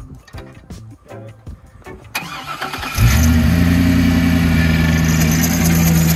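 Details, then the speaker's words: Jeep TJ: after a rough crank it fires and settles into a steady idle with a loud constant whine over it. Whining noise after start; power steering pump suspected, not confirmed. "Well, it doesn't sound very good. Something's not having very much fun up there. No, I think it's power steering pumps."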